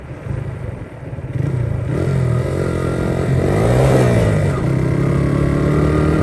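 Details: 1982 Honda XR80 fitted with an XR100 engine, restored after a leaking tank and a tank sealer that nearly ruined the engine. It starts right up and its single-cylinder revs climb and fall smoothly, firing evenly at low speed. Normal running, "runs like a top".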